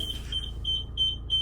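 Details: 2025 Chausson 630 Etape Line motorhome with the automatic dial shifter turned to reverse: high, clean beeps about three a second, steady and even. This is the normal reverse warning, and the reversing camera comes on.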